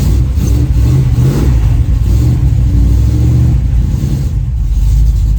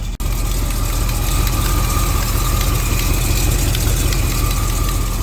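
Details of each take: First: 1936 Chevy coupe hot rod on jack stands in cold weather, after the exhaust was reconfigured to fix a massive leak: revs and settles with a solid, even low rumble. There is no popping or banging; the exhaust sounds sealed and quieter. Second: 1936 Chevy Coupe hot rod petrol engine idling: deep steady rumble with a light, quick 'tiny tap dancer' tapping on top; cause unknown; melted wire to water temperature sensor noticed.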